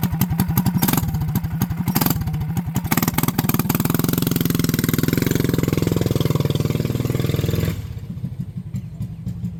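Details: Small single-cylinder mini bike engine after a new clutch, gas tank and governor mod: pops along with a steady fast beat, picking up cleanly when blipped and settling back. Runs healthy.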